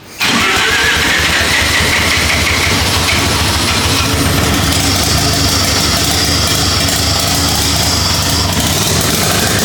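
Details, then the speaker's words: 13B turbo rotary drift build, first start after timing adjustments, no coolant in the engine: catches at once into a loud, raspy, uneven idle with turbo hiss. Smoky; runs but untuned. "so it runs it's not perfect by any means but the whole point was to get it running cuz we're not tuners so we'll get someone in to help us dial it in"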